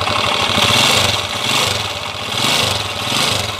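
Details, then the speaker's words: Second TMX155 single-cylinder engine, which previously ran with cricket-like and clacker-like noises: an idle with rattly, chattering clatter over the exhaust beat, described as mixed noises. "Dati to kuliglig at lato-lato ang andar. Ngayon pakinggan natin. Halo-halo na to."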